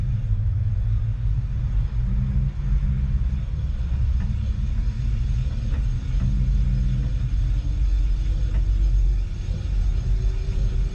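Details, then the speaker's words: Porsche 996 911 electric conversion, Nissan Leaf motor on Open Inverter board, first run on only 12 volts after precharge rewiring: low drivetrain rumble with a clean tone climbing as the motor winds up, no roughness. Normal electric motor spin-up. "but the motor itself actually sounded really smooth you could hear it you know spinning up"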